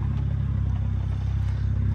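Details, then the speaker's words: BMW 135i with a 550i/335is clutch and lightweight flywheel, Burger sport muffler, idling with clutch out and AC and lights on: deep steady idle with a fast loose rattle on every firing pulse, louder under load from slightly raised idle. "as you can hear it's definitely a little bit louder just because there is a load on it now and because it raises up the idle a tiny tiny bit"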